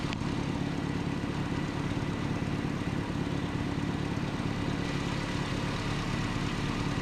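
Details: 1988 Nissan D21 truck, 2.4L Z24 engine after vacuum line repair: steady, even idle for seven seconds with no surging or hunting; normal idle.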